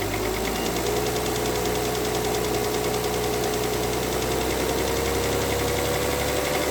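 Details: 2009 Mercedes W211 with a 3.5 engine: steady idle with a fast, even knocking riding over the engine note; cause of the knock not determined.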